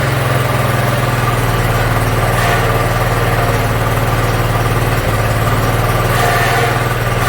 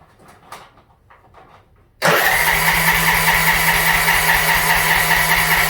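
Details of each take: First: Yard Machines (MTD) 42-inch riding mower, single-cylinder engine, after carburetor cleaning and freeing a stuck emergency shut-off: steady, even idle with a smooth low thrum, no misses or knocks; runs pretty good. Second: Yard Machines (MTD) budget 42-inch riding mower with new starter, little fuel in tank, on choke: steady starter whir with even cranking pulses, about 2.5 per second, never catches; fuel shutoff solenoid stuck closed starving it of fuel.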